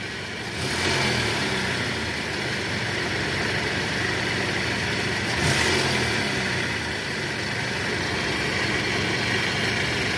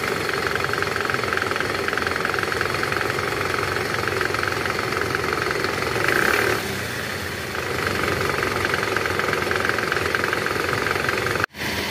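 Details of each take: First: Toyota Camry (2AZ/2AR engine) idling smoothly in reverse with brief throttle swells after balancer shaft replacement; previously rough and noisy in R from a loose balancer shaft, now sounds normal. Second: Toyota Camry 2AZ engine, shifted into R and revved: rough, clattery idle with an uneven knock that swells on a throttle blip, caused by a loose, worn balancer shaft, which was replaced without removing the engine.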